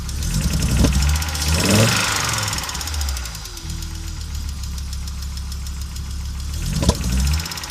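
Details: Audi Coupe after an NG-to-AAR engine swap: hard starting, many misfires, and it stalls while driving. Unsteady idle with an irregular, stumbling beat and occasional sharp pops. Misfiring; cause not yet pinned down.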